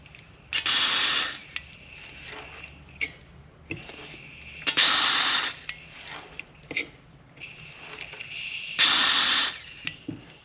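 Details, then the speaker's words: Polaris RZR 900 fuel injector bench-tested off the engine under pressure with battery pulses while the fault is being traced. Three crisp, roughly one-second hissing spray bursts, each opened by a sharp click; the injectors seem to spray fine and are likely not the problem. "Seems like it's spraying all right. So I think the ejectors are okay."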